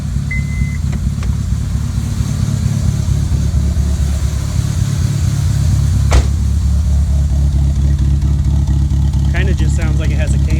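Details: 2002 Honda Civic EX (EM2), detuned before a long drive and later due for a K24 swap, power steering deleted: low, loping idle with an uneven pulse of about three beats a second; it revs fine to 7k when driven.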